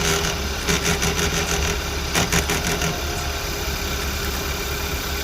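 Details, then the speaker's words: 2015 Hyundai Accent, abandoned 4 years, 70-something thousand miles: steady, smooth idle after replacing the shredded belt and the radiators and condensers. No squeal or belt rubbing; the engine sounds healthy, a normal idle. "Now it's sounding good as hell."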